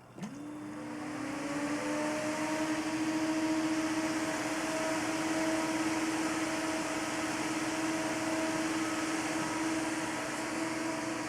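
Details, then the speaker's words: Stock Corsair H100i radiator fan running: steady whoosh with a constant drone near 300 Hz. The fan itself is loud, and louder still when mounted to something solid like a table or radiator. "you can see this is already a loud fan but what makes it extremely loud is when you mount it to something solid for example the table"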